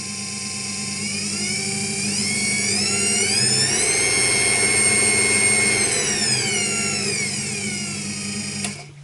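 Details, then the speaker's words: New Charnwood mini wood lathe, just unboxed: soft start ramps smoothly up to a steady clean hum, holds evenly, then winds down with no grinding or knocking; running healthy. "I've just switched this on and found it's also a soft start on it."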